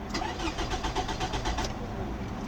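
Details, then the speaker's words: 2006 Toyota RAV4 4-cylinder, fuel gauge near a quarter tank, good battery: steady rapid starter cranking for over a second with no catch, then it falls quiet. The engine turns but won't fire; crank no start, cause not yet found. "So let's try to crank it up and see if it will start. It won't start. Let's crank it again."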